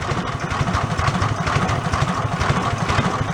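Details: Go-kart with its 5hp engine replaced by a 16hp single-cylinder engine, first start on a second battery; slow, even putter at low idle with no knocks or misses, running normally.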